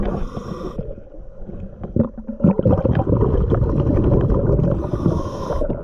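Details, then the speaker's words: Boat with vibration complaints, starboard propeller shaft shaken by hand underwater after cleaning: irregular knocking at about two per second from shaft play. A bad cutlass bearing is suspected; not confirmed. "we're gonna go back down there give it a good Shake again and hopefully you could hear the rattling while I'm under water"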